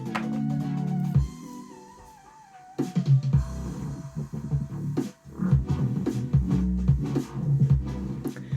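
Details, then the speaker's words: Sony TC-TX373 cassette deck with the DHC-MD373 playing a demo tape in the opposite direction: dull, muffled sound with almost no treble and thin, weak bass, though the deck still plays; muffled cassette playback. "that does sound quite a bit muffled. It's low end is not very good on that. It's not very clear, but it is working."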